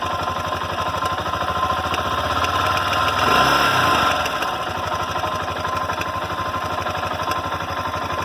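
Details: Honda NX Falcon 400i at a steady idle: a fast, even hammering tick, about three a second, over the idle; an internal knocking noise, cause unknown.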